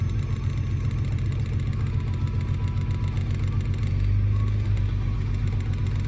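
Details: Nissan R32 GTR with a rough idle on start-up: idle is slightly lumpy, and the note shifts briefly under a brake-cleaner spray test that found a vacuum leak around the cylinder 6 intake manifold and the throttle body.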